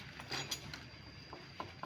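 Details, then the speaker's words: Honda Supra 125 engine disassembled after a tek-tek knock: light metallic clicks come in small bursts as the connecting rod is rocked by hand, showing big-end play. The worn rod also left the piston oil ring stuck. "bunyi sih itu ini kan oblak nah ini stangnya oblak teman-teman agak susah ngetesnya tapi terdengaran tadi ya audionya itu klek KK KK KK KK gitu"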